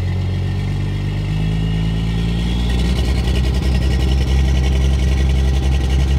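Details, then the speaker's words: Diesel truck with injection timing at 32 degrees: hard, fast clatter over a deep rumble at idle, combustion knock rattling through the cylinder walls from advanced injection timing. "unlike blue truck over here that has 32 degrees timing and the combustion event is happening for a lot longer span of time he can hear it rattle through the cylinder walls"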